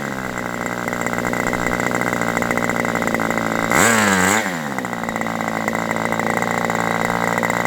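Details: Aviastar 46 ABC glow engine, testing two carbs on a chilly day: a high-pitched buzzy top-end run surges and sags briefly midway. Owner is unsure why and plans to richen the high-speed needle. Peak is lower with this carb.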